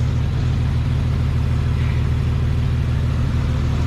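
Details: Chevy S10 Blazer carbureted V6 idling after new spark plugs and wires, carb cleaned with carb spray and fuel system cleaner added: deep, even low rumble, steady pulse, no misses, knocks or stumbles; running better than before, timing being checked.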